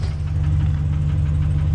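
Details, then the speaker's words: 2016 GMC Sierra 2500 6.0 V8 idling, after broken header bolts were repaired, with a slight exhaust leak: a steady light knock about four times a second over the rumble. Owner suspects a lifter or main/rod bearing, not confirmed. "but yeah so let me know what you think that knock is if it's a lifter if it's a main rod bearing down in there"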